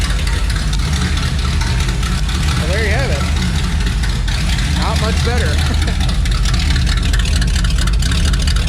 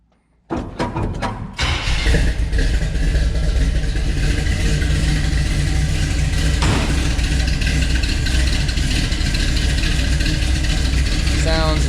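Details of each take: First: Chevelle at idle on newly fitted exhaust pipes with no mufflers: loud, deep, steady boom with heavy drone heard inside the car, rough from starting; mufflers still to be fitted. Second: Engine, first start since intake resealed, with exhaust and mufflers refitted: cranks, catches quickly and settles into a steady, deep, even idle with no misses or ticking; sounds proper and healthy, valve cover still to be resealed.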